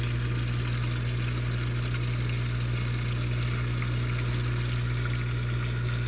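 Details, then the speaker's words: Odyssea CFS 500 canister filter pump just reconnected and primed after cleaning: steady low motor hum with watery gurgling rush from lots of trapped air; should go silent as air purges. "But you can hear there's a lot of air in it right now. So I'm gonna turn it off."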